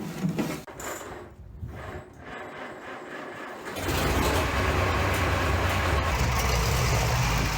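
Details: Junkyard Minneapolis Moline ZAU tractor engine with old plug wires, untuned carburetor, unknown timing, blowing blue smoke: steady low even chug at idle, a little pop and miss, otherwise running nicely.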